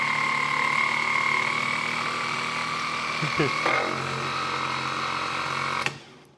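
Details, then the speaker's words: 1970 Triumph TR6 starter motor bench-tested off the car on a good 12 V battery; whine climbs, wavers and drags down before cutting off; owner suspects internal corrosion, seizing, will clean or replace: starter slowing and binding. "picking up speed which tells me that it is a little bit corroded inside and now slowing down again"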